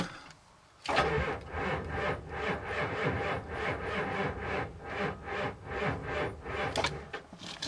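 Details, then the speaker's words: 1990 Ford E-350 Goshen bus, 7.3L diesel, first cold-start attempt after glow plug wait, fuel filter just changed: starter turns slowly and unevenly, two or three labored beats a second, never catches; battery too low. "Temp number one fail. Yeah. Don't know if she's gonna go. Sounds a little low on the juice."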